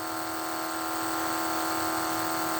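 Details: 1980 Pontiac Trans Am with Pro Power nitrous kit: electric fuel pump giving a steady, even high-pitched hum, no surging or stutter, while fuel is flowed through a 78 jet; pressure holds right at 9 psi, no leaks.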